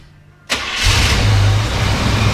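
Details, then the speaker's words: 1985 Chevrolet K5 Blazer, 96K miles, carbureted V8, choke on, exhaust manifold cold, pedal pumped twice: short crank, then catches at once into a strong, even low rumble with no stumble or smoke. "There you go. So fired right up. Sometimes it takes 2 times, but it did it right off the bat this morning. So, and it's not super cold outside. So that is a cold start for you."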